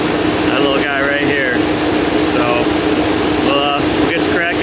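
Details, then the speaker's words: GM Yukon Denali (2015–2020 GM truck family), engine just shut off and cold: radiator fans keep roaring steadily on high; temperature gauge read no temperature, so computer likely thinks engine is hot. Suspected failed coolant temperature sensor, replacement planned. "Yeah, everything's cold. Fans are running on high."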